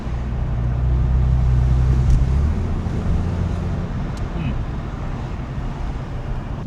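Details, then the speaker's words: 1999 Porsche 996 911 idling noticeably better after repair, no longer dipping below 1000 rpm; low even rumble with faint road noise, smooth healthy idle. "Oh, it's idling way better. It was like dipping below a th00and."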